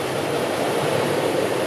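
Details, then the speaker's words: Cab blower fan on a 1964 Ford F100 pickup during inspection, run on low then high and pulled for defrost; smooth, steady rush of air with no rattle, squeal or wobble; normal blower operation. "Ici on a la ventilation, voilà, on l'entend ici, low, high, et donc on le tire pour"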